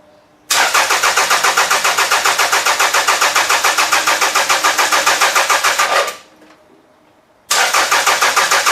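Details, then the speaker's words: Demolition derby car engine with spark confirmed: steady starter churn over five seconds, stops, cranks again, won't catch; owner suspects not firing on all cylinders, bad plugs. "now it's still hard to start"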